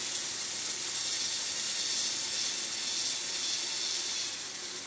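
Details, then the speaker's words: Hornby Class 31 Super Detail model diesel locomotive: the motor drives the gear and the roof fan. A constant high hissy whirr rises as speed increases; the fan drive is the noise source and is slated for removal. "so you can see here eyes the motor turns the drive gear turns on the fan turns and then faster we go the more noise and verbed perforation we can we can see up here and then we get into the high-speed noise"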